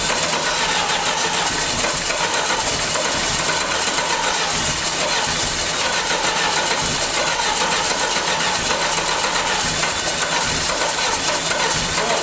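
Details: 1989 Dodge Daytona junkyard car, first run after transmission fluid soak, brake cleaner and bad gas: busy hissy running note, no knocking or heavy thuds, clouds of smoke; runs normally.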